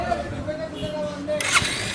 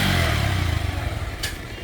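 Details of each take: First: Bajaj Pulsar (double disc) motorcycle, about 16,090 km, brought in for service: catches after about two seconds, revs up, then drops to an uneven, rough idle; abnormal engine noise, cause unknown. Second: Pulsar double-disc motorcycle at about 16,090 km, after service with adjustment and greasing: steady low exhaust note easing off smoothly, no knocks, rattles or misses; engine running normally.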